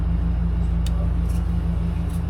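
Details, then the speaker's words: Aftermarket wiper motor in a 1941 Chevy truck restomod, wired low/high/park, running on low: steady motor hum with short sharp high squeaks every second or so; owner thinks it is hitting the insulation. "And you can hear there's a squeak. High. I think it's hitting on the insulation."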